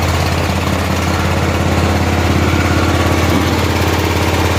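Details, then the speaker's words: 1988 Club Car golf cart, 8.5 hp Kawasaki engine, barn find: governor disconnected, idle raised, idle mixture screw backed out considerably, in gear, warming up; steady even low thumping about three beats a second, no stumbles or knocks, idling smoothly. "we had to back the uh the idle mixture screw out quite a bit evidently we're in gear it's running good"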